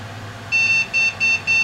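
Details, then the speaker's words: Computer power-up with suspected bad video card, old tube monitor attached: one long high beep then three short ones, a POST error. "now I should get a post error if the video card is no good so let's see what we got here so three two one it's starting up drives are ok what beep are we gonna get"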